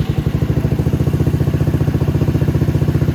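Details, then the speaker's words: Venom X22GT 250cc single-cylinder motorcycle with Nibbi carb and upgraded muffler, just started, before valve adjustment: quick, even thumping beat around 220 a minute with steady low rumble, clean smooth idle, runs beautifully. "it runs beautifully. But we're going to work on that too because I want it to be absolutely perfect."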